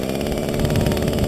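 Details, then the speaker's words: Echo SRM-225 string trimmer, new and being broken in, restarted warm without choke, revving up smoothly with an even crisp two-stroke buzz, no stumble; a little smoke, slightly rich, but runs nicely, no issue. "You can see it runs up real nice. You can see there's a little bit of smoke running, it's a little richer, but it works good."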